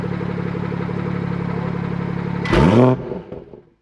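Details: BMW F30 340i after fixing the exhaust valve rattle by fitting a new clip: steady even idle, one quick throttle blip, then shut-off, with no exhaust rattle; system sounds healthy.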